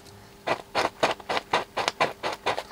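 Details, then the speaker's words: 80-year-old speaker from a 1942 Ducati radiogram, cone pushed by hand: scratchy rasps, about four per second, each time the cone moves. A corroded pole piece is likely shedding rust particles that drag on the voice coil in the magnet gap. "that scratchy noise is not good and always that rust down there I think this pole piece in the middle is actually just corroded and there's just rust particles dragging on there"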